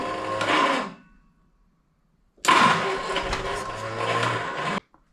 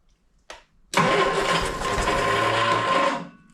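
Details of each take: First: 1971 Triumph Spitfire MK III 4-cylinder, unstarted for 14 years: two short bursts of firing that each die after a second or two; it runs only on starting fluid with no fuel supply. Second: 1971 Triumph Spitfire MK III four-cylinder, starting after 14 years sitting, using starting spray: quick crank catches straight away into a smooth, fairly quiet idle with no knock, only a little clicketty-clack rattle; normal idle.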